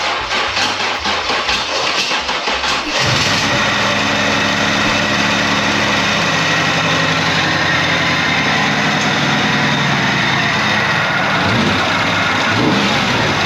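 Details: Camaro engine whose fuel tank was 3/4 full of water that went into the engine, milky oil drained, restarted: cranks and catches, then a rough, uneven idle with a faint stumble; runs poorly.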